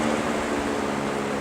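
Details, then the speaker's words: GE W 25 box fan after repair of worn single bearing that let rotor drop onto stator, clearance enlarged: smooth steady low hum, slight normal motor vibration, no ticking, rubbing or strikes; not hitting anymore. "got a little bit of vibration just from the motor running but that's normal so it's not hitting no more"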